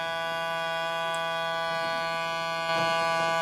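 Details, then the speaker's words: 1975 JVC 9407LS radio cassette player: steady, organ-like electrical buzz over cassette playback when play is pressed, most likely from dirty record switch contacts. "So you hear there, and the problem's due to the, more than likely, the record switch. So I'm just going to put some contact spray on that."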